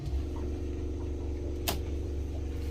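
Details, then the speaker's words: Fischer Panda diesel generator on a Grady White 330 Express boat: steady low drone with soft even ticking, running underspeed and making only 90-92 volts instead of 120+; throttle arm should move to raise rpm. "start it up look at our voltage here it's only 90 92 volts this thing should be running 120 plus no matter what"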